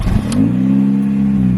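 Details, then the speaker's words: R53 Mini Cooper S supercharged engine, rev demonstration: quick blip, pitch climbing then holding and easing back cleanly with no misses, engine, supercharger whine and exhaust audible. Normal rev. "i'll give you some start up on the rev off the car as well just so that you can hear like the engine and like the supercharger wine and the exhaust as well"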